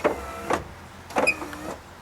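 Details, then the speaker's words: 1990-1997 Mazda Miata MX-5 pop-up headlights with aftermarket HID kit: two short motor runs, each with a thin rising squeak as the lights move, persisting after lubricating all pivot points; cause unclear. "Yeah, so we've lubed all the points that move on this thing. Now it's just a matter of figuring out why it's still squeaking."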